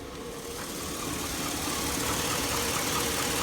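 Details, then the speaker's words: 2002 Chevy Avalanche 1500 5.3L V8, warm idle: a quick regular tick of about three to four a second over the hum, diesel-like and worsening over a year. It sounds to the owner like a Ford 5.4 Triton; origin unknown. "it's got this weird noise to it I don't know what the world it is but sounds like a 54 Triton s like a diesel"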